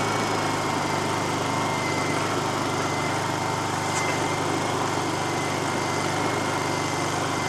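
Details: Small generator engine, started on choke right after reassembly with the breather tube refitted, holds a steady even buzz at constant speed with no surging or misfire; normal running.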